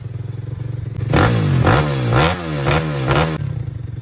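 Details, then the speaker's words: Pitbike (KXY110F frame with a swapped YX140cc engine, new fuel lines and filter): about five quick throttle blips that rise cleanly and drop back to a steady idle with no misses or clatter. Normal running. "so as you can clearly see she's running completely fine she's done she's sorted man"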